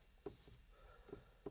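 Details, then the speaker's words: Kia Rio 3 accelerator pedal moving in jerks, as if something is obstructing it: quiet cabin with about four short creaks and taps in under two seconds as the pedal moves, squeaking pedal, before removing it. "начинает быть таким не очень приятным вот как будто там чего-то мешает"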